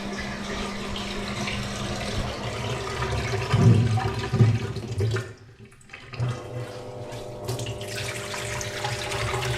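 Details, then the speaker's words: 2009 Samsung WW7708N6W1 washing machine after drain pump replacement: a steady low pump hum with water gurgling away down the drain. The machine drains properly. "test that it's all working fine, and I'll film that as well. it's draining properly. You can hear that."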